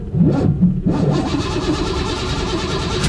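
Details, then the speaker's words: 1972 Chevy Nova, 454 4bbl V8, automatic, electric fuel pump, hot restart after running 20 minutes: a short crank, then it catches promptly into an even idle. The starter is not dragging and there is no dieseling or run-on. "that's the thing we uh had this run for 20 minutes so that starters get a little warm but still didn't diesel or you know it would work fine"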